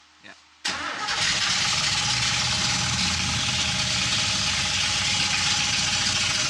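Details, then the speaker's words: Freshly reassembled 1970 Buick GS big-block on first start-up: loud, busy idle with an uneven knock about three a second and a rattling noise; oil pressure strong, owner believes not the bottom end, source unknown. "Something ain't right, bud. Something knocking big time. I hear that."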